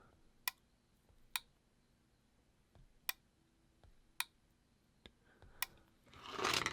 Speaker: there we go you should be able to hear that relay clicking on and off as I turn it on in these smart things app